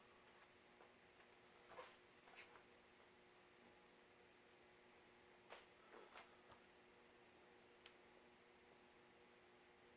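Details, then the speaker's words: Vintage Emerson Heat Fan "Blender Fan" ceiling fan CF-363 on a solid-state speed control: very quiet, smooth steady hum with a few stray room clicks; normal quiet motor. "doesn't actually seem to perform badly on themselves say it's pretty quiet"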